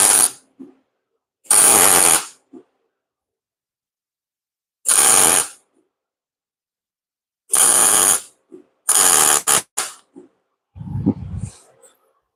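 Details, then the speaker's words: MIG welding during exhaust work with a worn, abused gun lead that stops wire feed or gas flow when bent at awkward angles: arc crackle alternates between clean and ragged, spitty sputter. Wire feed is interrupted and the lead needs replacing. "don't know if you guys can hear that how it changes. It goes from clean sounding to trash sounding. Trash to clean."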